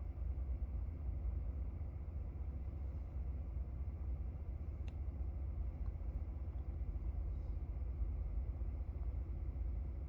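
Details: 2017 Ford F-150 5.0 V8 at idle: low, lumpy, wavering beat with no steady rhythm; rough idle that leads to stalling.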